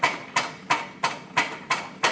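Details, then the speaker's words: Graco QUANTM electric double diaphragm pump started with single-touch control, green LED, siphoning material and discharging off the outlet manifold: steady, even chuffs about three a second with crisp valve clicks, no knocking; normal cycling. "The pump is chugging away, we're siphoning material and discharging it off of the outlet manifold."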